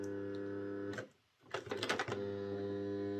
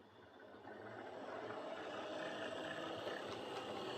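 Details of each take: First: Old Airfix Class 31 model diesel loco at full power before repair: a harsh buzzing drone that drops out and returns rough. The armature moves back and forth against the worm gear (end float); fixed by snugging up the gear. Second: Airfix Class 31 model loco on the layout after the worm gear was tweaked to restrict armature end float: a soft, even motor hum with light rail clicks. Running well, much quieter than before.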